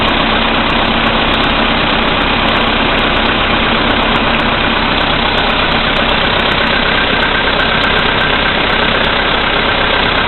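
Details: VW Polo Sedan, CFNA engine, 2222 km, cold start at -5°C after overnight; oil three marks below max, about 90 L of Lukoil 98. Light steady tapping, two to three per second, at cold idle. Origin unknown.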